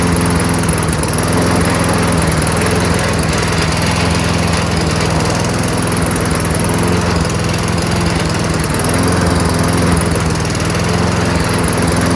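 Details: Toro Recycler 22-inch self-propelled mower, Tecumseh engine with freshly cleaned carburetor, running on its own: steady but slightly lazy, uneven beat, engine speed a little low; raise RPM by bending governor spring bar outward.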